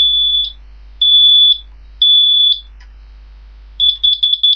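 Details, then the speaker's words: Brand-new combined smoke and carbon monoxide alarm on test, horns partly covered; three piercing high beeps about half a second each, roughly one per second, then rapid chirps and a carbon monoxide voice warning; alarm sounds normally, about 100 dB uncovered. "that's how it sounds like I did cover up the horns you see because it is Extremely Loud it is it's like about 100 Debs"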